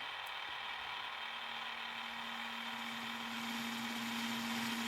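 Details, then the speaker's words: Walkman with belts removed, motors spinning while playing Bluetooth adapter audio, after earlier belt replacement left playback faulty: steady low buzz near 220 Hz over motor hiss from the audio jack, an audio circuit fault rather than the drive. "so that buzzing is coming from the audio jack on here."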